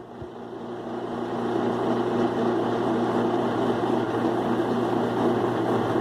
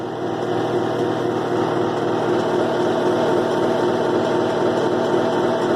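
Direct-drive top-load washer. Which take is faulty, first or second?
second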